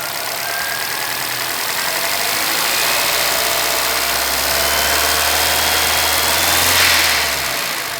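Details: 2011 Chevrolet Celta VHCE Spirit engine idling with faint, loosely regular tapping about one and a half per second under heavy hiss; owner asks about the knock, source unknown.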